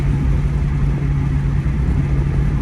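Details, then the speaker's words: 2002 Ford Mustang GT idling slowly at about 500 rpm at a red light, with uneven beats and stumbles that worsen; a definite misfire. It may keep burning coils, and the air filter got wet in a puddle; a bent rod is suspected. Cause unconfirmed. "Idling at 500, that's a little low. Now, there it goes, see? It's definitely a misfire, and it gets worse."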